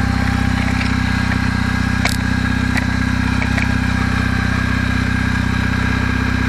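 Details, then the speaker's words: Kawasaki W650 twin idling cold in about 10-degree weather, not yet fully warmed, with a light regular tap about four times a second. The knock grows as the engine warms; the valves were already adjusted. The owner suspects drive/driven cam gear mesh needing adjustment. "это на холостом ходу но он еще не до конца прогрелся пока"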